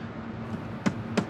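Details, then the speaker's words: Quad engine being disassembled, scored cylinder and suspected holed piston: two dull, solid knocks as the piston is rocked by hand, showing excessive piston or connecting rod play. "ło jaki luz kurna ale puka słyszycie Jak wali"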